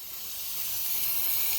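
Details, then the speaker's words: Steam heating radiator air valve giving a steady high hiss that builds and keeps blowing after pressure control was reset to just under 2 psi main and 0.5 differential; the valve, fairly new, is worn and venting steam and needs replacing. "All right, we still got that noise there. This air valve. Well, let's just say it's time for it to go."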